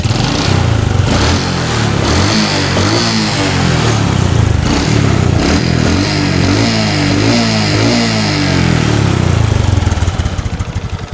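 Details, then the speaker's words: Honda Supra X 125 single with rough engine noise, before repair: uneven, lumpy idle with wandering beat and rough low thrumming; unstable idle attributed to the carburetor. "Guys di sini terdapat permasalahan yang mana ransamnya susah kita spel dulu ini permasalahan untuk langsam ada di karburator"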